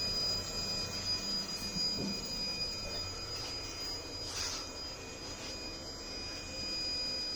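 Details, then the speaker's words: Narrowboat engine bay with a Vetus M4.17 engine (about 553 hours) and Technodrive gearbox: a thin, steady high whistle at one pitch behind a low hum from the diesel heater in the corner. Normal heater fan running. "The whistling that you can hear there in the background is the diesel heater whirring away, just in the corner there."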